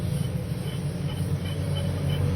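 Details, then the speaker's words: VW Gol G8 (2019/2020) with timing belt replaced a year earlier, cold first start with outer belts removed: faint high chirps about three a second over idle from the water pump, only clockwise, louder under belt load, stopping after seconds. "o barulho já ficou mais baixo, tá vendo? Mas já dá para vocês ouvirem, ó. Sentido antihorário não faz. Só sentido horário. Ó, com o peso da correia, esse barulho aumenta."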